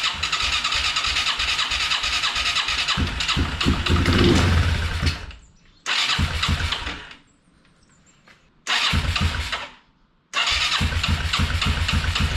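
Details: Yamaha Moto 4 ATV that sat over 20 years, first start on a temporary fuel tank and booster pack: the single fires in loud bursts that cut out and restart a few times before running steadily.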